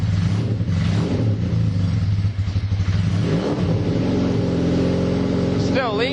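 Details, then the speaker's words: KZ440 single-carb motorcycle after carb cleaning and pilot air/fuel screw adjustment: revs with a flat, hollow top end that falls away instead of pulling clean. Running lean in the top area; needs a larger main jet. "I need to put a larger main jet in it because we were running lean in the top area"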